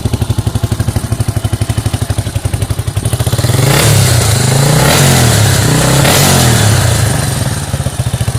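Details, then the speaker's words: Yamaha Warrior 350 quad after carb jetting and float tang adjustment to stop flooding, Supertrapp exhaust with 12 discs and spark arrestor: steady single-cylinder thump revs cleanly and settles without bogging; idling nicely though still sputters slightly. "but it's idling nice and it's not i wouldn't say it's absolute 100 from the factory 96 good but there"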